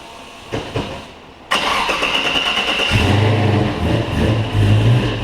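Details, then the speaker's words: L83 5.3 Gen V LT from a 2017 Silverado, swapped into a 4x4 Pontiac Safari wagon with a TH350, 2.5-inch exhaust, X-pipe and two-chamber mufflers, first start: catches at once into a deep, steady V8 idle with light blips; normal start and idle. "just by exhaust note alone and feeling the way this thing revs and stuff uh this thing this it it actually sounds like a hot hot motor"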